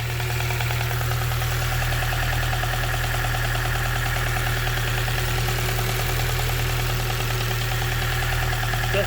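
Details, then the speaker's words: K-swapped Honda Civic EP2 with IACV deleted, idling while warming up, charging: steady idle with light quick ticking over the low hum, distinct from the injectors, which are heard separately; source not found. "well i don't know if this ticking noise is right at all mate"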